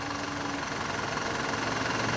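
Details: Mitsubishi Canter Euro 4 common-rail diesel truck during scan-tool cylinder cut-out injector test: even diesel clatter at idle, steady speed with no stumble; all cylinders firing, running healthy.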